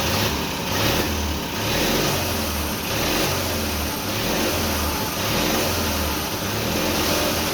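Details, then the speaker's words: Briggs & Stratton twin-cylinder flathead on a mini bike, first start after carburetor rebuild, homemade black steel pipe exhaust: climbs and falls with the throttle, firing evenly with no dropouts or knocks; running healthy on both cylinders. "fired right up on both cylinders it seems like"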